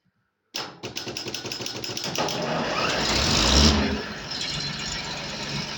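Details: Polish tractor after battery trouble: short crank, then catches, revs roughly and settles into a steady even diesel idle with no knocks or misses; normal idle.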